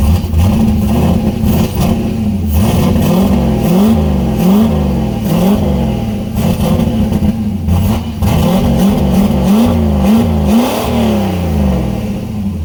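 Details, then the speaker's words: Turbo LS-swapped Miata, first start with new open downpipes, no O2 sensor bung yet: very loud, raspy barks on throttle blips over an uneven idle, smoking; running unhappily without the O2 sensor. "oh that sounded pretty good it's still loud it's smoking yeah uh obviously there's I still have to drill uh a hole and put a bung in for the O2 sensor so it's not very happy right now but it's not bad"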